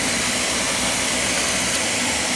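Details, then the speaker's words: Oil boiler burner after running out of oil and bleeding the fuel line: steady, even roar of flame and fan with no sputter or surging; clean good oil flow, firing cleanly. "Alright, now we're getting a good oil flow here. Clean, good oil flow."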